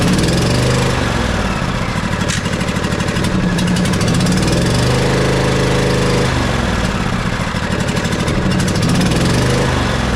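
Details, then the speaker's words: Twin-cylinder riding mower engine after valve adjustment running on one cylinder: loud lumpy uneven putter with hollow beat; no spark on one side, suspected bad ignition coil; that spark plug found completely loose. "so as it's running another thing I can tell is it sounds like it's running on one cylinder no spark on this side whatsoever the coil here is bad if I had to guess the coil is bad"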